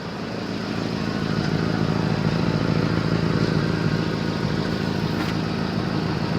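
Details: 1989 Honda Civic, engine running: low steady puffing chuff at roughly three beats a second from an exhaust leak at the center pipe.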